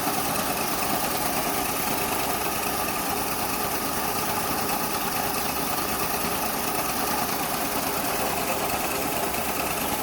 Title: MARUTI 800 AC ENGINE MISFIRE